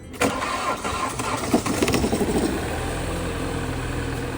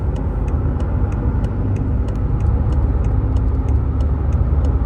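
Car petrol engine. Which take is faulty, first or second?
first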